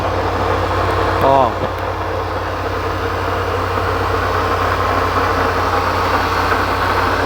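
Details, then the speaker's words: Range Rover V8 (510 hp), first cold start of the day, idle dropping from fast idle: a steady, strange low droning growl under the firing, source unclear, possibly the belt tensioner or accessories. "uma espécie de um ranking estão vendo eu não sei se vai dar pra pegar no vídeo da podium guy eu não sei se eu vou pegar no vídeo tá turma é mas está fazendo um ronco bem esquisito mesmo"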